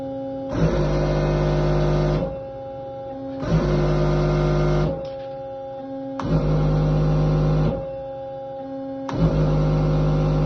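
Repeating cycles about every three seconds, each a steady hum with a clean start and stop; the valve is shifting evenly and normally.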